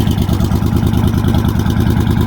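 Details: Motorcycle with suspected bad aftermarket starter solenoid (Kawasaki Vulcan type), just restarted; on choke, steady even low chuffing pulses at constant rate, no misses or knocks. Normal idle.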